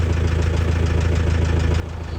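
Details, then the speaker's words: Nissan Patrol with the ZD30 diesel at idle. A deep steady drone with a faint, regular light tick on top; the tick could not be diagnosed and led the owner to swap in a used replacement engine. "When one day it just decided to tell me, David, I'm going to start making a ticking noise."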